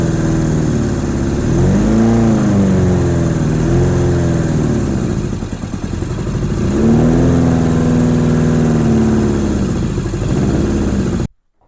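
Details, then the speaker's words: 1987 Honda GL1200 Goldwing, first start in many years, cold bike in cold weather, choke lever not working: engine holds a fast idle with revs wandering unevenly, smoked at first. Rough running; owner suspects insufficient fuel supply and dirty carburetors needing cleaning. "Well, it smoked a little bit when it first started. I think it was starting to clear out, but I'm not getting enough fuel supply, I don't think."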